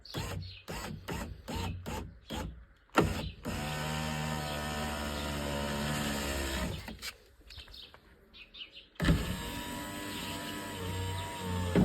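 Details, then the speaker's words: Volvo V50 power window after repair of the regulator squeak, with the glass reinstalled: the window motor raises it with an even, steady hum and the squeak is gone; a slight noise remains because the motor itself is a bit tired. "Ото що такий трошки є звук при підійманні це вже трошки уставший сам моторчик"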